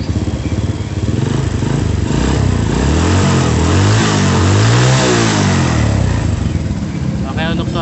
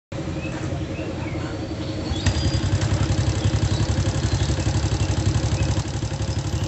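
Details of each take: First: Honda Supra motorcycle after cam chain and camshaft work and carburettor cleaning: revs up and back down cleanly with no regular ticking; valve/top-end tick cured, only an irregular tok-tok remains at light throttle. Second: Honda Supra motorcycle at idle: loud, fairly regular kletek clatter about four per second plus small ticks; roughly 30% from the cam chain, mostly from elsewhere; lower valve found loose, oil still fairly clean.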